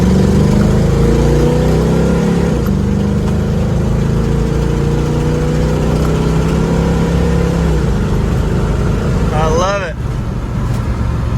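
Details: 1969 Ford Mustang Mach 1 survivor, 351 Windsor two-barrel V8, C4 automatic; strong, steady V8 burble that eases back smoothly, no tapping or misfire: normal running and revving.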